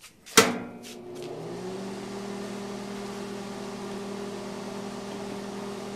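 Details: Lincoln Tombstone 225 AC buzz box stick welder cranked to 115 amps: a sharp strike, then a steady mains buzz under a soft, even hiss. It holds a smooth, stable, normal arc.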